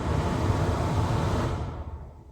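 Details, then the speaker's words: 2013 Holden RG Colorado AC blower, speed 3 dead for six months, suspected faulty blower motor resistor: steady rush of air at full fan speed spinning down evenly when switched off; blower works normally on this speed. "so it seems to work on one you can just hear that two on three it doesn't work and then on four it's fine"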